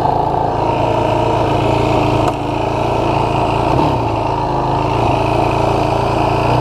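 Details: 2016 Yamaha YFZ450R SE quad after the throttle position sensor was set to 0.81 to cure the factory low-rpm bog: a steady single-cylinder drone holds even under throttle without stumbling or dropping off; clean running.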